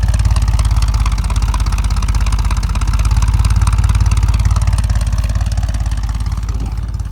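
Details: 1975 Ford F-100 with 140,000 miles, abandoned 17 years, first start after revival work; even, steady burble at idle with smooth firing rhythm and no knocks or misses; normal idle.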